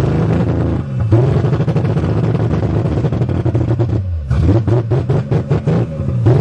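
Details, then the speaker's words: 1982 Toyota Cressida straight six, first start after sitting, new battery: revving and dropping back with an uneven, lumpy beat and irregular stumbles; suspected not running on all cylinders, running too rich with black smoke and sooted plugs. "I don't think she's running on all the cylinders. Like she used to, anyways. I think she's getting too much gas."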